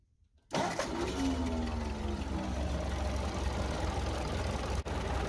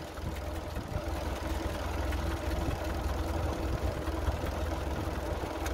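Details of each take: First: 1952 Ford 8N tractor, flathead engine with firing order 1-2-4-3: idles unevenly with an irregular stumble and a sharp dropout. A spark plug wire fell onto the exhaust manifold after a bump, melted, and arcs on the head bolts; the fix is new wires. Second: Ford 8N tractor flathead four-cylinder after replacing melted spark plug wires that had caused a misfire: a steady, even putter with no skips or stumbles before shutdown, a normal healthy idle.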